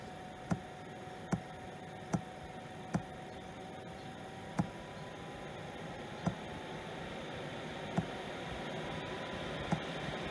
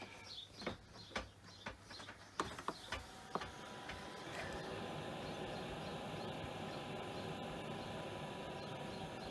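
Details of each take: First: 5 kW Chinese diesel heater in an RV that has grown harder to start over the years: sharp pump ticks about once a second over a faint rising fan hum, then it shuts off with a low-battery error. Owner suspects voltage or cable problem. Heater fails to start. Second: RV/caravan 12V diesel heater starting with newly replaced diesel dosing pump: pump ticks about twice a second, then fan settles to steady hum; pump working normally.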